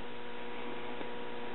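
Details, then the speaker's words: Late-1960s Pioneer SX34 tube stereo receiver, noise in the left channel audible even with volume all the way down: constant low mains-type hum with faint hiss; traced to a faulty resistor near a 0.02 µF coupling capacitor. "i'm really inclined to believe the problem is somewhere right in here either this resistor or this capacitor"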